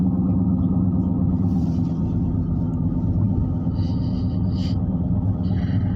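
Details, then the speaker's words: Right front wheel roaring while driving, louder than the other tires: a steady low roar and rumble, later confirmed as a bad ball bearing in the right front wheel bearing. "we're trying to see what's wrong with this uh this right front wheel seem like it's roaring like it might be uh ball Burns in the wheel or something"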